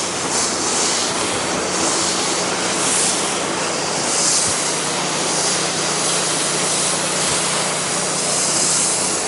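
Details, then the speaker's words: Pressure washer run with 10% sodium hypochlorite on a very dirty painted wood deck at low pressure; only one gallon was in the siphon bucket, and a steady airy hiss is heard as the chemical injector sucks air from the emptied bucket. "you hear that hissing is back so it's just about 100% out"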